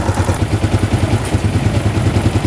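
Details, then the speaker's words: Honda CG125 single-cylinder motorcycle just after cylinder head refit, idling with tappets set slightly loose: steady, even low thump and faint light tick; sound now good, but still smoking with oil from the silencer. "ये देखें sound जो है bike की बेहतरीन हो गई है बिल्कुल।"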